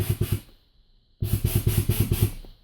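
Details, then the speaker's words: 2010 Honda CR-V with Accuair SwitchSpeed air suspension, D2 Racing struts, UA air bags and hardlines; valve speed set 1 slowest, 2 medium, 3 straight up. Quick, even thumping pulses about six a second with a faint hiss: normal air valve operation. "so there we get to get it exactly where we want it you know one being very uh the slowest then two medium obviously and then three is pretty much straight up"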